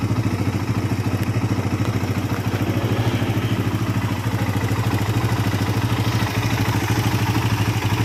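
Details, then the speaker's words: Suzuki Satria FU motorcycle with rough engine sound from the left block area; rapid clattering rattle, likely a worn cam/timing chain and a faulty tensioner converted to manual, worse when hot. "Satri FU with the condition of the engine sound rough, well, this is for the rough sound part, it is in the block area on the left, it is possible that the temporary analysis comes from the sound of the tensioner chain."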